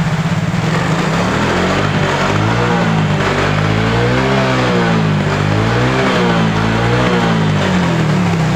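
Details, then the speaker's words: Yamaha Mio J scooter after fitting new original injector (old one clogged, electrical socket faulty): clean even note rising and falling smoothly with throttle blips, no misses; normal running after repair. "Oke untuk gelangnya sangat normal sekali ini tidak ada masalah ya ini sudah mantap"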